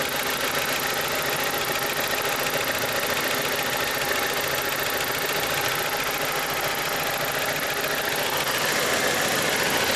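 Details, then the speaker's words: BMW E87 with N45B16 engine, VANOS unit replaced again to cure a persistent knock: the cold idle is now quiet, with only light, fast, regular injector-like ticking and no deeper knock. Owner is unsure whether the knock returns when warm. "Сейчас тихо. Я не верю своим ушам."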